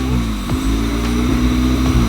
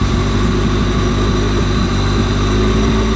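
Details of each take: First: 1998 Honda Civic EK with B20B4 swap from a CR-V and Integra LS transmission, warming up after fitting a new distributor: idle dips and recovers every half second, bouncing less than before; codes for VTEC, IAT and O2 sensor. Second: 1998 Honda Civic EK with B20B4 B-swap from a CR-V and Integra LS transmission, just after fitting a new distributor to cure bouncing idle, not yet at temperature: steady even low idle, no misses or hunting; normal idle.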